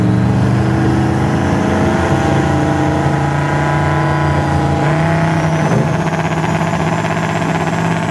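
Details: Drag pass (10.29 @ 144 mph), flat out near 6500 rpm: engine stumbles and crackles as it runs out of fuel; datalog lean spike to 15:1, injector duty 100%; new fuel level sender misadjusted. Backfire from lean fuel starvation.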